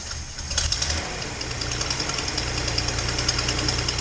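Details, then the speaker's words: Datsun 240Z after new spark plugs, previously running on four cylinders (2 and 6 suspected): runs much better but idle still rough. Sharp rapid ticking over a lumpy idle, strongest up top, from an exhaust leak on cylinder two, possibly at the EGR port. "um you know you can probably hear i got a bit of an exhaust leak uh and the idle's still not great i'm guessing well i know there's an exhaust leak on two"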